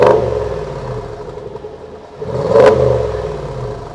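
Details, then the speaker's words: Range Rover Sport SVR, replacement 5.0 L supercharged engine fitted after a major failure, running about 20 minutes, water filling the exhaust back box: clean rev up and down, smooth even exhaust note with no knock or misfire; sounds healthy. "yes filled the back box up isn't it but sounds beautiful"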